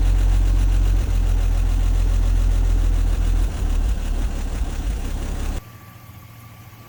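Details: 1954 Chevrolet 150 after long storage, with carburetor suspected clogged with junk, before carburetor cleaning: low, uneven idle around four beats a second that stumbles and cuts out; rough running, cause not confirmed.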